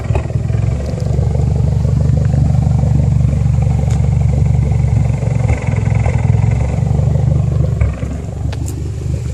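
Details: 2008 Mitsubishi Lancer Evolution X with a low, uneven idle and a loping pulse about four times a second that never settles. The engine is running rough.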